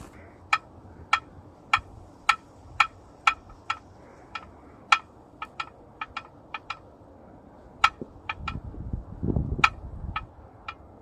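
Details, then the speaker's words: 1989 Jeep Cherokee XJ, Renix 4.6L I6, AW4 automatic: prying the flexplate with a bar gives sharp, crisp pops every half second, like snapping a bottle cap. No crack is visible but the noise is heard; the owner thinks it is probably the flexplate. "so yeah I guess that's the issue I don't see the issue but I hear it"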